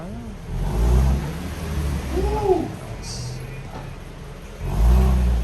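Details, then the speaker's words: 2011 Nissan 370Z roadster after fixing the common rear axle nut clicking on one side with an upgraded Kawasaki axle nut, Nissan washers and cotter pin: pulls away and revs smoothly, steady low drone, no rear clicks. Normal driving, no axle clicking. "Alright. Good to go. That's fine. Alright, so there you go. No more noise."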